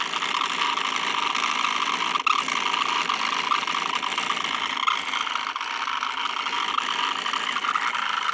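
Constant high-pitched whirring buzz with a rattly vibration underneath at steady speed; the laptop fan is failing. Cause suspected, not confirmed.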